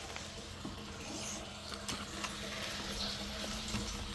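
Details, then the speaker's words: New, not-yet-backfilled septic system after house flushing: soft steady trickle and gurgle as water transfers by gravity from the effluent side of the sludge tank to the pump tank, no pump noise; normal effluent flow. "This is just transferring the water out of the effluent side of the sludge tank over to the pump tank."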